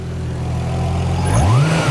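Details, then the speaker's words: Turbo 2JZ-GTE Supra at a Japanese auction with boost lines missing: the engine idles, then blips, and a thin whistle rises and falls with the revs as boost pours out of the open nipples. "hear it it's like whistling yeah"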